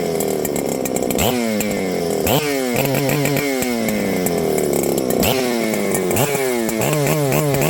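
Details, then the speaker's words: Husqvarna 394XP chainsaw earlier thought to have no spark: revs up in surges that keep sagging and falling away; revs with gentle throttle but bogs and wants to die when the throttle is stabbed. "if I give it gentle throttle and kind of Let It Go it'll rev up and hit some RPM if I stab the throttle it bogs and wants to die"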